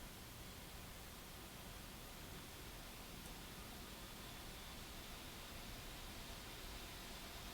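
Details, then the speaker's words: Lenovo Y540 17-inch gaming laptop running a benchmark with the CPU at full load and temperatures spiking: a steady, even rushing hiss at full fan speed, fairly loud, with no ticking, rattle or whistle; normal. "That's basically the full speed of the fan. It is fairly loud, but if you have headphones on, it's not really going to bug you."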